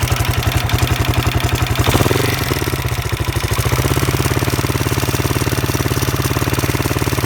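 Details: Husqvarna SM 610 with Keihin FCR 41 carburetor: big single thumps at a steady idle with a blip near two seconds and an odd mechanical edge; owner finds the engine noise strange, cause unclear.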